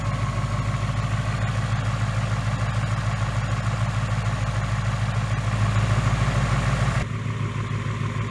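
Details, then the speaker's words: 2018 Mustang GT 5.0 V8 with new forged-piston engine, about 300 miles on break-in oil, cold start idle at ~94°F ambient: light even tapping about three per second over the rumble; forged piston slap, harmless, fades once warm. "ine has a different sound to it because it's got the forged pistons in it and you really hear it when it's cold and as soon as it warms up it kind of goes away it's not a bad noise it's just a forged piston nose"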